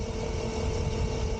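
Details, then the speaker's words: Razor Pocket Mod electric scooter on new Socokin 7200mAh 22.2V 6S 100C LiPo batteries, 180 lb rider: steady even motor drone at full speed, no clunks or grinding; reaches top speed and pulls normally. "it is now able to once again reach top speeds and has no problems pulling me around"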